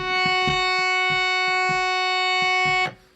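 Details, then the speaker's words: Raga Kirtan Premium harmonium, after fixing a buzzing reed by gently pressing it in and out with a screwdriver; clean steady held note with even overtones, no rattle or buzz; reed speaks freely. "fixed already. That's great. So just by pressing it a few times, it's done."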